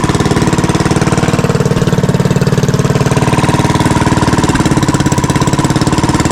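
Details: Fishing-boat (bangka) engine running normally after its earlier misfiring was fixed, with the shaft (ehe) tied to its bushing and running true; an even, steady idle beat with a solid low thump and no misses or knocks.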